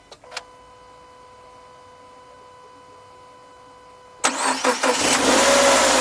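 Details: Subaru Forester SJ (4th gen, FB25 engine), recorded outside, second start seconds after a knocking first cold start: quick crank, catches immediately, smooth even idle without knocking; normal start and idle.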